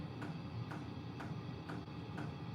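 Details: Portable diesel air heater in a garage on its lowest setting: soft even ticks about twice a second over a low hum; fuel pump metering steadily as it should.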